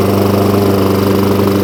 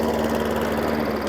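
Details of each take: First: Hayter Ranger 53 lawnmower after bending the throttle spring clip forward: steady even high-speed drone with no hunting or surging; now holding full revs cleanly. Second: Hayter Ranger 53 lawnmower, new spark plug, primed, throttle on rabbit: low lumpy bubbly engine note stuck well below full speed; won't reach full revs; governor/throttle linkage adjustment suspected.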